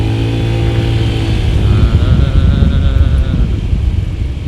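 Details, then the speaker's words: Honda ADV 160 scooter, about 1,000 km, after CVT service for Bromo dust damage and heat-discoloured, scratched CVT bowl: pulling from 4,000 rpm, pitch rising smoothly with no shudder or judder; acceleration now normal and stronger. "Beda teman-teman, beda. Ya, ini lebih beda."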